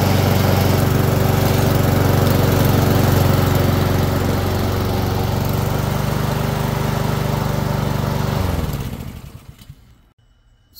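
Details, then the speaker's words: Husqvarna self-propelled mower after drive belt and wheel drive gear replacement: steady, even engine drone with smooth beat, then winds down and stops cleanly; running healthy. "as you can see it works properly it literally almost pulled me into my own car and it um everything's working basically like brand new now"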